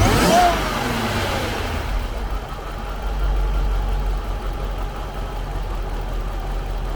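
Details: Jaguar XJR supercharged engine, recorded under the hood, stock exhaust; quick rev then settled, even low idle with no knocks or misses, normal healthy engine.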